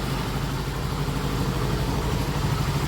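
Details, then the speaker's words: Mio Gear scooter single-cylinder engine idling right after an engine rebuild (engine had run with dry oil; oil circulation confirmed): steady light whirr and faint rattle, no knocks, described as this model's characteristic noise. Normal idle. "ini suara khasnya, Anda tahu. Agak berisik, suara mendesing atau berderak. Karena memang seperti itulah suara Mio Gear ."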